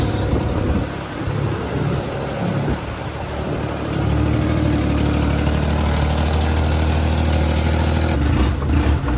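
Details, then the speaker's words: Daihatsu HiJet mini truck small petrol engine idling low and steady after head gasket, timing belt, water pump and bearing replacement. Idle turned down; light puffing from an exhaust leak at a pipe joint. "Tried to turn that idle down a little bit because of the exhaust leak. It's right here where it meets up. Right there. Sounds good though."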